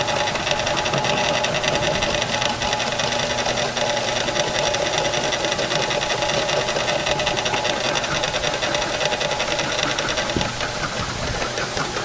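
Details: Old ten-dollar flea-market belt-drive drill press, first run after purchase: steady motor hum with busy rattly knock at constant speed; motor bearing tight, no shaft play found, cause unclear.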